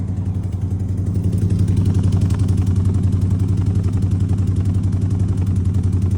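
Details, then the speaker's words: Chevy C20 V8, after fixing smoke and oil leaks, idling: lumpy, uneven beat with regular dropped pulses about four a second. Misfire on one bank. "That's not bad, but this is the one that I'm missing on."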